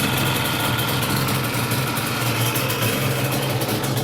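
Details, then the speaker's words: Yamaha Banshee two-stroke quad idling with chimney pipes. Loud, even idle with a steady low burble and crackly exhaust edge, rhythm constant: normal idle. "gotta love that sound man i know the neighbors do"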